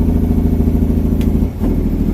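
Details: Tractor-trailer semi downshifting to 11th around 1800 rpm with Jake brake on two cylinders: deep, fast pulsing bark from the diesel; engine brake operating normally.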